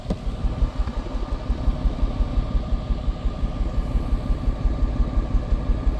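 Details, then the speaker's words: Ford Escape (2009 or 2019) idling, heard at the tailpipe; loping pulse about three beats a second with uneven puffs. Suspected misfire; many dash lights on, and dash, radio and A/C not working. "it's it's got a little bit of a Mist to it not running it's not running right"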